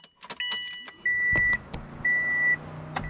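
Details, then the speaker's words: Subaru no-crank after three months' driving: key-on chime dings with the cooling fan humming and no starter engaging; ECU not getting proper power, jumper between pins 8 and 2 restored 12.4 V. "dash lights are on stereo Powers up but if you listen you'll hear the cooling fan is on"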